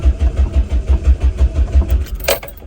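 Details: Classic Renault 5, 1.1 litre carbureted engine, jump started, throttle pumped: starter chugs evenly, about six or seven beats a second, for a long spell before finally firing; slow, hard start.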